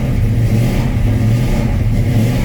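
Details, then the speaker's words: 1967 Chevrolet C10 V8 truck, cold start after sitting several days: deep, even rumble held at raised revs with steady firing; cold-natured engine needs throttle to keep running and won't settle to idle. "Hold out, guys. Try to get a idle here. Walk around it. All right. That ain't gonna idle."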